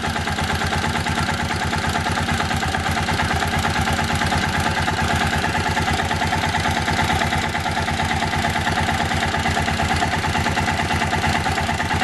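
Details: Kawasaki Bayou 400 ATV after the oil pump drive gear repair, idling while oil flow at the head feed-line banjo bolt is checked. Steady, even single-cylinder thump, no knocks or rattles; oil reaches the cam, healthy idle.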